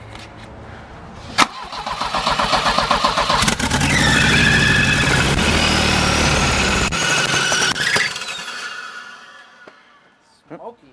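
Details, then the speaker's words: Volvo cranking steadily at about four turns a second but never starting, after spark was confirmed and the plugs were cleaned. The plugs came out fuel-soaked again afterward; flooding suspected, cause not confirmed. "starting to shut off smokey all right guys so we pulled all the spark plugs back out and every single one that was soaked in fuel again"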